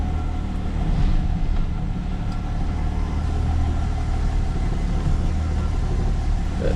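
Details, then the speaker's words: XC turning the steering after a fix to the steering idler arm and after shortening the sway bar link so the bar no longer rubs the chassis; steady low engine rumble, with the earlier grinding and creaking gone. "No more creaking. Doesn't sound like a old rusted cemetery gate when I turn the car now, which is embarrassing."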